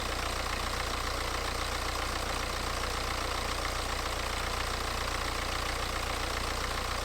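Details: BMW 318d E90/E91 N47 facelift diesel after water pump replacement and coolant refill, running while bleeding air: even, steady idle clatter with no knocks or squeals; normal diesel idle.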